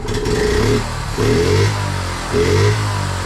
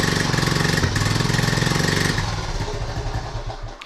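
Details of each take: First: 1976 Honda Z50J1 Monkey after correcting points gap: small single revs up crisply three times and returns to steady idle; clear power gain, though still needs fine tuning of gap and carb. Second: 1976 Honda Z50J1 Monkey after points work, just restarted with recently fitted new carb possibly untuned: small single idles with uneven, stumbling beats about three to four a second, then falters; misfiring from incorrect points gap.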